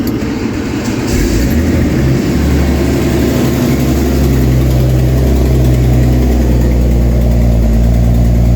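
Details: BMW E36 Turbo at a rough idle after the exhaust line was dropped and the dead flex pipe replaced, with an uneven puffing tick about three a second over the low rumble: the exhaust manifold is loose and leaking.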